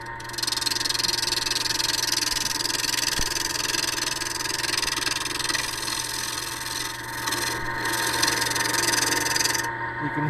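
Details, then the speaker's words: Lathe turning a horn cup body with a large thumbnail gouge rounding the outside: rough, fluttering chatter over steady motor hum because the blank is out of round; the chatter stops further toward the end. "the chattering as I move the tool I mean it's not round if I go down here toward the end we won't hear that patter anymore"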